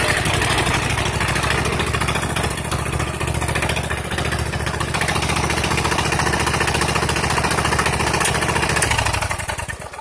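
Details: Freshly rebuilt custom 21 HP V-twin, first test run with no throttle: even, quick firing pulses hold steady for about nine seconds before the engine winds down; running smoothly and healthily.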